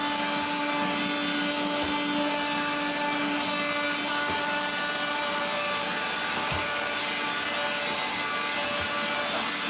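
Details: 1970s blue Regina Electrikbroom 3-speed vacuum, just arrived, vacuuming a floor. The motor and especially the fan are dry after someone washed it. A harsh, raspy grinding rides over the steady high motor whine: a dried-out motor bearing.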